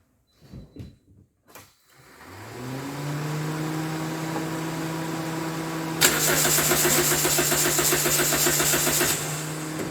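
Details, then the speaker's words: 2010 Toyota Corolla 1.8 L, towed in with an electrical fault, no dash lights, in neutral, radiator fan running with ignition on, battery recently replaced: starter spins the engine at a steady, even rate but it never catches; crank no start. "The radiator fan comes on, and as I was trying to crank it over, the engine only cranks, but it will not start."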